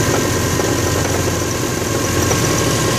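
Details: Subaru WRX transmission area at idle, noise began after snow drifting: a rough grinding and scraping about four times a second from the bellhousing. Cause: loosened flywheel bolts snapped the bearing set screws, which lodged against and dented the crank surface.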